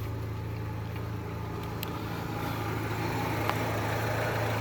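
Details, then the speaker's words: Daewoo Lanos 1.6 after repair; it arrived knocking and misfiring, and a punctured exhaust flex pipe was welded. It now has a smooth, steady idle with no knocking, stumbling or stray noises, and runs normally. "В общем, вот так вот ровненько, красивенько работает двигатель, без посторонних звуков, без посторонних шумов и без всякого троения."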